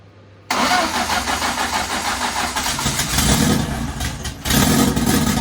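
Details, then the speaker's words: MK1 Fiesta Zetec turbo, stone cold at 8°C coolant, adjusted VE table, throttle stop at about 4% idle, battery 12.2 V: brief crank, catches cleanly into a slightly uneven but steady cold idle with a blip; started easily. "i mean it started that's stone cold literally that's a stone cold engine coolant temperature is eight degrees c so for a stone cold engine i'll say that started pretty easy to be honest"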